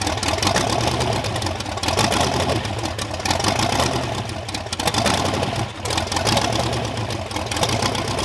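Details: Supercharged Ardun hot-rod V8 on its first start: loud, lumpy, steady running after firing up, blower whine over the exhaust rumble, no knocking; normal idle.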